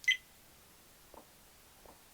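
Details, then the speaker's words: HFK HM702 motorcycle dash cam: one short, sharp high beep, then faint soft clicks in a quiet room. Normal settings beep. "Obviously, when you turn it on, the camera also activates. Obviously, these are the three beeps it makes and"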